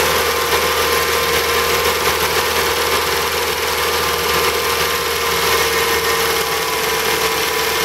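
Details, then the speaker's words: BMW E30 318i at idle with the air con on and system pressure low: a steady harsh whirring rattle over the idle, suspected to be a noisy A/C compressor; the engine also has intermittent head tapping, possibly oil-related. "low noisy noisy compressor too that's what that were noise is"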